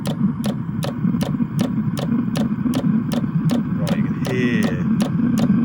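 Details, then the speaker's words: Webasto Thermo Top V diesel auxiliary water heater for a 2009 Land Rover Freelander 2, bench test drawing about 9 amps: steady clicking about twice a second over a low rough roar, smoky and stinky; firing but combusting rough. "I can see smoke ok the smoke coming out of this that's good that means it's burning something it's kind of bit stinky"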